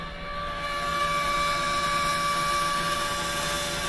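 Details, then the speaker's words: Kymco scooter running: a steady high-pitched whine holds one pitch with no rise or fall. The owner first thought it was the cooling fan, but it is the fuel pump making the noise. "Like the fuel pump. Hmm. I thought it was the Yes, that is the fuel pump. Making hideous noises. I thought it was the the cooling fan. It is not."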